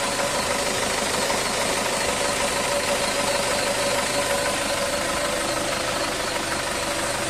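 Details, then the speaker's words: Isuzu Traviz diesel idling: steady high squeal over the clatter, worse with aircon on. Belt adjustment checked OK. Fan belt slipping, with mud and water on the ribs from muddy, rainy roads. Belt still in good condition, replacement optional. "Magandang araw na muli mga boss ang problema ni customer pag nag-start na siya ng makina sumisipol na itong mga pum belt niya lalo na pag naka-aircon e chineck ko naman itong mga belt niya Okay naman yung adjustment"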